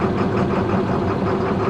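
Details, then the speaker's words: International DT466 beverage truck with a hard start after sitting overnight, cold first morning crank with injection control pressure near 500 while cranking: fires and settles into a steady, even diesel idle with no stumble or hunting; normal cold idle; a fuel leak is suspected. "as cold as it is out today that's that's not too bad so i believe that fuel leak"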